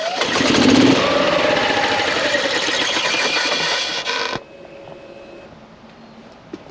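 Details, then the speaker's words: 2016 Yamaha petrol golf cart, slow/intermittent start complaint, load-testing battery while cranking (voltage drops to about 8–10 V): sluggish cranking about four turns a second drags lower, then quits; weak battery is the cause. "again that battery is clearly the issue and that is the quickest way to load test your battery and see if it is your starting issue or not"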